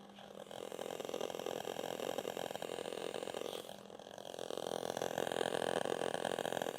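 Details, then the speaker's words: Harley running with a Soundstream radio feeding a SounDigital common-ground amp over RCA, mic held close to the speaker: a steady whine of stacked tones over hiss, worse with LED drivers and a noisy stator. The RCA outputs are shorted, and high-level input fixes it. "these noises can become even worse sometimes they're almost overpoweringly high pitched squals and it's it's coming from that short"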